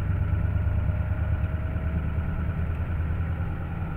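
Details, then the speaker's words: Used, likely worn '93 IDIT diesel swapped into a '93 truck, about 100 miles driven: faint ticking of about three per second over the idle rumble, worst at idle. Owner suspects a lifter; pushrods and rockers look fine and oiled. Cause unconfirmed. "especially at idle it sounds horrible not sure whether that's a hope I'm thinking it might be a lifter or something but I'm not sure why"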